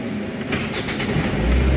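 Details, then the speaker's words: 2006 Toyota Corolla with a no-crank, no-start fault, after replacing a bad fuse with a 30 A fuse: short crank, then it catches into a steady low rumble; normal crank and start after repair. "ये हमारी गाड़ी start भी है। अब बस एक का मसला था इसी गाड़ी में और बाकी कुछ भी नहीं था।"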